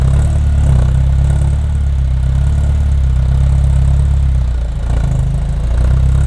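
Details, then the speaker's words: Ferrari 348 after engine-out timing belt major service, first start: deep uneven idle that wavers and dips, barely holding on; rough running, rich with smoke on right side, owners wonder if wiring harness is swapped. "Yeah, it's running rich. On the right side."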